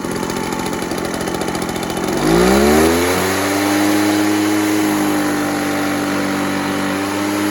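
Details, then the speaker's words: Echo PB413H two-stroke backpack blower on a new aftermarket Chinese carburetor with an NGK plug; idle snaps up to a high, steady whine held level at wide open throttle; normal full throttle, close to the specified 6,400 rpm on the plug-wired tach. "Supposed to be about 6,400. We're close enough."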